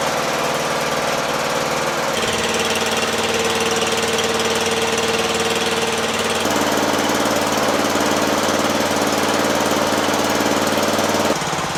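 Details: Murray lawn tractor, 12.5HP Briggs flathead single, after sticky-valve zero-compression fix, idle lowered from a fast setting: steady beat stepping down twice to a slower idle, still even without stumbling; healthy.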